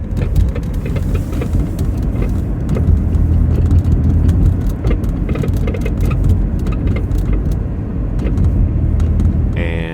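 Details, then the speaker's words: 1999 Toyota minivan driving over bumps: sharp knocks and clunks over road rumble from failed front strut mounts, later replaced. "I recently replaced the strut mounts in my '99 Toyota minivan. Here's what it sounds like when they fail."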